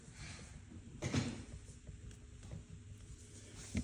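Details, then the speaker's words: Ford Mondeo 3 steering column: two dull clunks when the wheel is turned, from play in the telescopic joint (not the U-joint) in the working position; fix is new bushings, or a whole column if no repair kit exists. "Когда вы рулём крутите, и у вас стучок такой тык-тык и люфтец есть, это вот"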